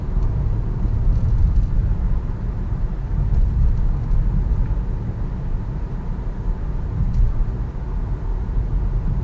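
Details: Toyota Corolla on a road test after being put back on the ground following brake work, driven to check for noise. Deep road rumble over rough pavement and potholes with no clunks, knocks or rattles; suspension sounds tight and quiet.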